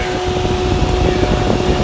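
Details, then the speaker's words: Aprilia Pegaso Cube 650 idling with tank off, radiator cap open; steady whirring cooling fan hum over the single, coolant bubbling and blown back out as it overheats easily; owner suspects blown head gasket, not confirmed. "it is definitely bubbling, and it overheated pretty easily. So it blew a lot of the water back out."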